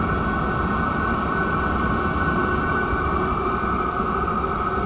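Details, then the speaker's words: Chinese diesel air heater running in cold garage, near 20°F, getting very hot: steady even blower roar with faint high whistle, fuel pump barely audible, no ticking, surging or rattles; normal running. "i don't even hear the fuel pump i can feel it i can barely hear it though i barely even hear that"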